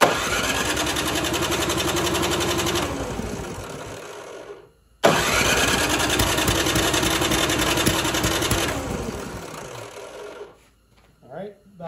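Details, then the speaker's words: Toro 721E snowblower on the electric-start plug, primed a few times after carb work: the starter spins the engine in two long chugging bursts but it never catches. It cranks but won't start; the fix failed, and the carb emulsion tube is suspected next. "Priming a few times. Sounds like it wants to go, but it just won't turn"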